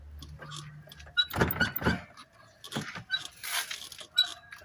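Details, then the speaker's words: Volkswagen brake caliper rocked by hand under car, loose metallic clunks in short bursts from large play in worn caliper bushings needing replacement; a cause of suspension knocking. "com a folga ó entendeu galera essa aqui ó tem que trocar os embuchamentos dela tá com uma folga tremenda entendeu galera Faz uma barulheira ó aí ó tá vendo espero ter ajudado alguém aí Valeu galera tamo junto hein"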